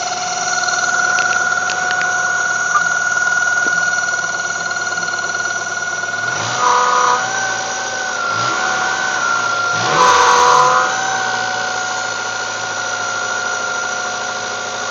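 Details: 1995 Mazda Miata at cold idle: a steady high-pitched whine with occasional warbling chirps from the front centre of the engine. It occurs only first thing in the morning and is gone after 5 minutes. Owner suspects tensioner or water pump; unconfirmed.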